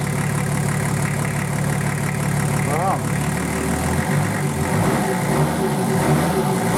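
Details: Nissan Patrol RD28 diesel just started after injector and injection pump install, lines bled by cracking injectors while cranking: steady clatter at a fast, unset idle, running evenly with no misses; normal diesel idle.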